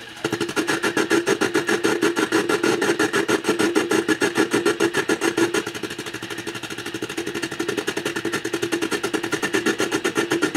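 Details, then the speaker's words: Vacuum-tube radio receiver: a fast, buzzing put-put with a steady tone. This is a parasitic oscillation located in the IF stage, changing as the probe moves near the glass tube, with some filament buzz. "we can see that the oscillation is in the IF section. By me moving the probe closer and further away from this glass tube is actually affecting that oscillation."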